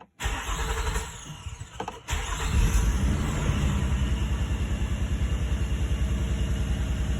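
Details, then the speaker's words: 2003 Nissan Murano with a P0302 cylinder 2 misfire, after swapping coils 2 and 4, cleaning oil from a plug well and clearing codes (P0021 VVT also shown): it cranks, starts and idles slightly lumpy, a mild misfire with the cause still unknown. "still seems to be idling a little stumbly compared to how it used to."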